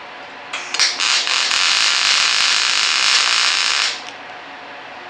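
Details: Longevity MIGWeld 250 MP set to straight MIG with no pulse: about three seconds of steady, even frying hiss with no pulsing beat; normal smooth arc.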